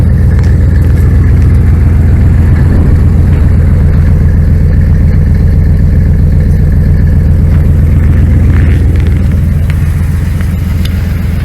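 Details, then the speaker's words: 1999 Dodge Ram 1500, 5.9L V8 gas, cold Wyoming morning start (around -24 forecast) after a new starter, tensioner and idler pulley: about three tries before it stayed running, oil pressure way up, then an even, deep idle with no misses or knocks. Normal cold idle. "She's not happy about it, but she started. Not bad. I started like 3 times before she stayed running. Oil pressure's way up."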